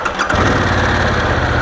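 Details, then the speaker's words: 2023 Harley-Davidson Pan America twin, stock exhaust, in neutral: brief starter whir, catches within a third of a second and settles to an even, steady idle; a little startup noise noted as a known complaint but not bad; normal start. "I will say that one of the complaints about this bike is when you first start it up uh let's say it's noisy which it kind of has a little bit of a noise that's not bad"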